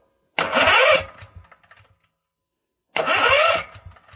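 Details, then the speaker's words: Briggs & Stratton 1650 5500-watt generator, new push-button starter with solenoid, spark plug disconnected, tested indoors: two brisk, even cranking bursts, engine spinning freely without grinding or slipping; normal starter cranking. "there you go we got some turning i like and we're going to try this outside next"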